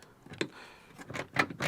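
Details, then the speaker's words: Vauxhall Vivaro B van rear back door after a cheap handle fix, linkage refitted onto its plastic piece: a few crisp clicks and clunks as the latch cycles; lock mechanism working normally. "and I can hear that lock mechanism working not an issue there"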